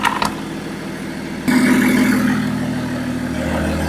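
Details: BMW M57 bi-turbo diesel swapped into a Nissan Patrol with 6-speed 6HP28 automatic, first start during build with fuel pump just connected: short crank, then loud, raw but steady idle with no exhaust fitted; healthy.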